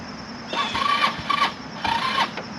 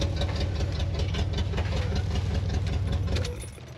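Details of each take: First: HammerHead 250cc go-kart, long unused, on a battery only partly charged (about 25–50%) with hard-to-connect side terminals: two roughly one-second starter bursts, never catches, cranking seems weak; weak battery suspected, not confirmed. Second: HammerHead 250cc go-kart, started after long storage with a charged battery: steady, even low idle pulsing about two and a half beats per second, then shut off; runs smoothly, normal idle.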